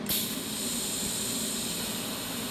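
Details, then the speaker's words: TIG welder torch with gas hooked up: pedal pressed, click, then steady even hiss holding constant as shielding gas flows from around the tungsten before welding; normal shielding gas flow. "make sure that the tungsten is pushing out gas, or else you're just gonna have a bunch of headaches. So just press the pedal, click."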